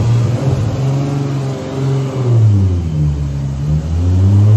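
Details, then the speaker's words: Rat Rod 2JZ Supra on the shop dyno, two-step, traction control off (setting two): a loud low roar under load with an uneven, stumbling, surging pulse that shakes the car. It made 1,040 hp; misfire under boost. "it was definitely doing it definitely did it and you still made 1,40 horsepower yeah shaking the whole car man golly"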